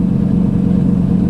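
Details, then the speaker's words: Turbo Dodge Ram SRT-10 V10 with a custom fender dump exhaust, at idle, heard from inside the cab: deep steady rumble with a metallic buzz; the exhaust is rattling. "so the first thing I'm gonna do is start the truck and show you guys what I am talking about just sitting in the truck you can hear rattling like crazy"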